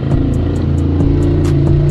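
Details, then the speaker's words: Xinlehong 9125 RC car gearbox, tested before reassembly after cleaning rusty, dry gears and regreasing: motor spins the gearbox with steady whir and light even ticking about five per second, crackling gone; normal now. "Nah, ini udah normal bunyinya ini. Sip, tinggal dipasang, komandan, berarti berhasil."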